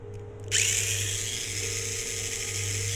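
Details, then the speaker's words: Tamiya Mini 4WD motor in an MS non-suspension chassis after a soapy-water break-in, not yet run on track: a click, then a high, steady, smooth whirr with no rasp. The motor pull and spin sound smoother and faster than before, so the break-in worked. "Ini benar-benar bekerja karena suara tarikan dinamo dan putaran segala macamnya itu terdengar lebih halus dan lebih kencang."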